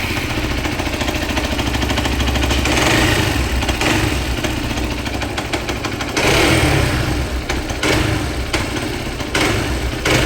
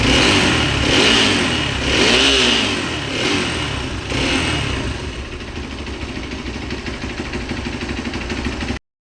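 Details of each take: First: Hero XPulse 200 single-cylinder motorcycle engine, hot, at idle: a harsh, regular knock traced to balancer shaft timing misalignment; the clutch cover was opened. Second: Hero XPulse 200 after the clutch cover was opened and the balancer gear replaced with its timing dots aligned and the strainer cleaned: the engine blips a few times, then settles to a smooth, even idle with no knock.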